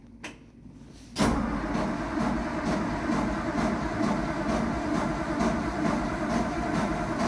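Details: Truck without choke, not started in a while, cold start after new single exhaust welded and mounted, breather routed into intake: a few cranks, then catches abruptly and settles to a steady, even idle with loud, open exhaust note; runs fine.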